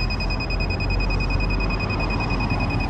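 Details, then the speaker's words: Rental electric scooter being locked at end of ride: steady high-pitched double-tone beeping over street background, normal lock-and-end-ride alert. "done riding yep and ride and you hear it beeping at me too it's signaling that it's"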